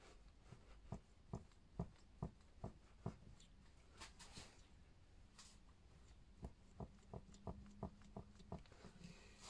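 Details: Freshly rebled RockShox Super Deluxe rear shock, air can removed and unpressurized, knocking under small rapid compressions but not slow ones: sharp, dull knocks about twice a second. Traced to the damper circuit; a 'Hot Dog' piston is suggested.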